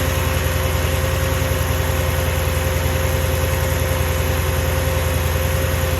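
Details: Mercedes E55 with stage 1 remap and full engine rebuild, cold start: once revs drop, lumpy uneven idle pulsing about twice a second like a misfire; no codes, plugs, coil packs and leads recently changed; cause unknown.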